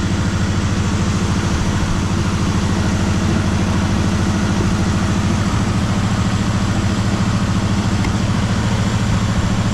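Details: 1973 Chevrolet Malibu parts car, first start after about 25 years sitting, fresh gas, points checked, warming up; lumpy stumbling idle about three beats a second, popping as it tries to fire the last cylinder or two: misfire.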